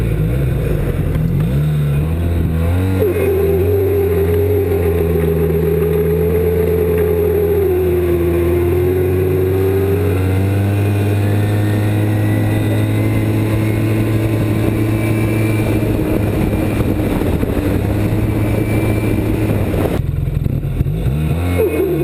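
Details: 2007 Arctic Cat Z1 snowmobile running: steady, wavering mid-pitched belt squeal over the low engine drone; cause unknown.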